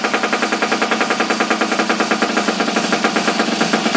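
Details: Abandoned small single-cylinder engine, choke on, after regapping the plug for weak spark: sharp popping exhaust about ten beats a second, even and unbroken; firing every stroke.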